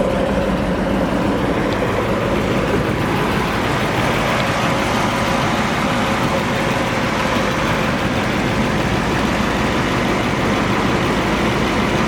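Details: 1969 Ford Mustang Mach 1 428 Cobra Jet Ram Air V8 (R code), 30k original miles, 4-speed manual, restored, starts with barely a touch of the key; loud, even idle with a steady deep rumble and no misses, ticks or knocks; healthy engine.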